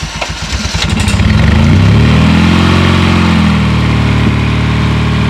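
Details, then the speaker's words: Lada Zhiguli engine after slime added to engine and warmed up, stalled then restarted: lumpy idle with steady knock about four per second underneath; knocking from oil starvation, urgent oil top-up needed. "застучал друзья надо масло доливать срочно срочно"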